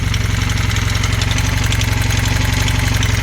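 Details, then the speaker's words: Honda Hondamatic 400 first start after 20+ years sitting, oil pressure present: sharp steady knocking about four per second from up top; rocker arm or lifter suspected, sticky valves, fading as it warms. "engine sounds terrible [Music] yeah I'm getting equal I don't know what that knocking is oh it sounds like a lifter up here rocker arm hear"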